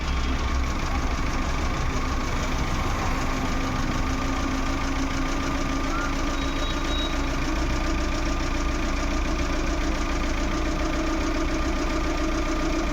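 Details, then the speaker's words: Maruti Suzuki Eeco petrol/CNG engine idling after a faulty MAP sensor was replaced (DTC P0108). Steady, even idle with no stumbles or shaking, where it had previously vibrated with the check engine light on and low pickup. "Engine start रखा है, और जो पहले झटके मार रही थी, engine पूरा वाइब्रेट हो रहा था, वो नहीं हो रहा है।"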